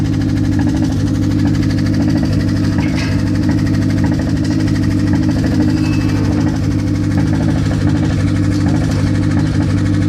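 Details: Mazda engine at idle after sitting for a long time: a light, uneven tapping of a bit under two knocks a second rides over the low rumble; cause needs checking.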